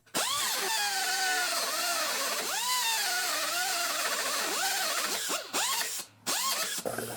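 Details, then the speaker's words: Small right-angle cutoff tool cutting inner rocker panel on a 2002 Mercury Sable wagon: thin high whine sagging in pitch as the wheel bites and stalls; low torque from gear reduction, easily catches. "you can hear it's not the torqueiest tool. It easily catches."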